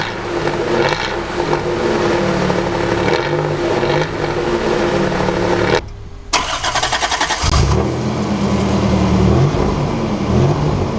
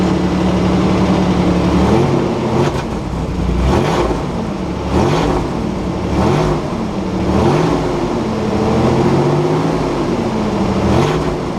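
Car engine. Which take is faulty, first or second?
second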